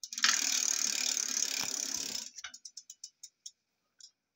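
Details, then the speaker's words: Bicycle-parts 2WD rear axle assembly with double ratchets: quiet under drive, but coasting gives a loud fast ratcheting buzz slowing into spaced sharp clicks as freewheel pawls click. "you got double ratchets look at the noise so when you're coasting it's Ruddy noisy that's awful when it's under drive it's quiet"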